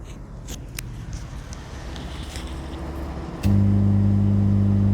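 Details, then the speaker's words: 5.2 Dolby Digital remote-kit amplifier with speakers connected, before rebuild: quiet at first, then a constant deep buzzing hum starts the moment power comes on and stops when switched off; mains hum from faulty wiring. "విన్నారు కదండీ ఇప్పుడు on అయినప్పుడు మనకి humming noise ఎలా ఉందో అది బంద్ చేశాక close అయిపోయింది ఓకేనా ఇది మొత్తం వైరింగ్ ఫాల్ట్ ఉంది వైరింగ్ ఫాల్ట్ వల్ల మనకి ఈ హమ్మింగ్ నాయిసెస్ అనేది వస్తుంది ఓకేనా"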